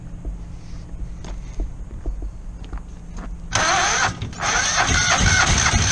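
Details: Kohler 725cc V-twin surface-drive mud motor on a Pro Drive X Series boat, cylinder one's connecting rod thrown in 2012 and its piston not moving, fitted with a makeshift filed key; after pulls and ticks it fires with a loud, lumpy, uneven beat, running on one cylinder.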